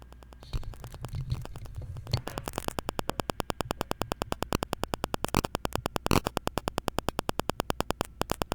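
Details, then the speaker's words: Microphone crackling caused by the laptop's wireless adapter: with the adapter enabled and the mic near the laptop, hiss then sharp even clicks about six a second; disabling the adapter removes the crackle. "now you can hear with a cracking sound I will disable this device now the problem is solved and the cracking sound is gone"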